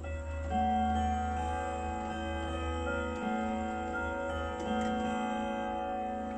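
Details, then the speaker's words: German Hermle three-spring Westminster chime clock with 85 cm pendulum, after movement overhaul: clear, even bell tones play the Westminster half-hour chime (8 notes) over steady regular ticking; normal chime and ticking. "O să dăm să ascultați cum bate, deci la jumătate 8 note."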